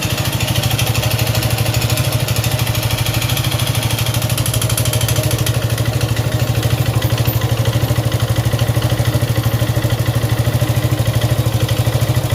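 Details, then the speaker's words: Suzuki Gixxer 155cc single idling with steady rapid ticking, about three per second, over heavy low thump; engine noise, owner neglected oil; suspected timing chain, loose valves or worn piston/rings, unconfirmed before teardown. "Mir, aquí tengo una Suzuki Jixer, el cual tiene un ruido en el motor."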